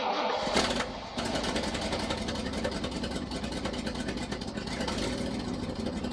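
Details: 1979 International Harvester ACCO 510A 4x4 truck, V-345 (5.6L) petrol V8, about 28,900 on the odometer, not started for about two weeks: brief crank, quick catch, then a smooth, even V8 idle with a steady beat; a normal cold start.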